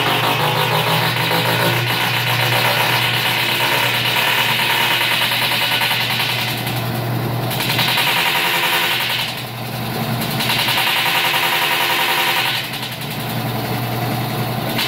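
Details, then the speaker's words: Stackable washer-dryer combo during spin makes heavy, rapid thrashing and banging in surging waves, about three and a half hits a second; cause was a broken tub support weld, fixed by welding in quarter-inch metal. "it sounds like a thrashing machine so I got a dig into it and see if I can't find the cause of the noise"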